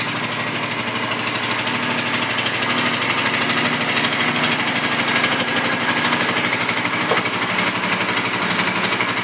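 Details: 2005 Suzuki Boulevard M50 with stock pipes, 17,408 miles: steady, even lumpy V-twin idle at about three beats a second, no knocks or rattles, smooth exhaust note; engine runs healthy.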